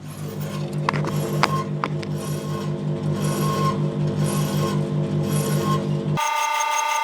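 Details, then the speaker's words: Electrolux clothes dryer (5 or 6 kg), microphone at the back, drum turning clockwise: steady low hum with rhythmic thump two to three times a second; owner suspects a worn drum bearing, possibly something stuck inside. Drum rumbling noise. "But yeah, I think this, to be honest, I have a feeling it's the bearing. I think the bearing is totally stuffed in there."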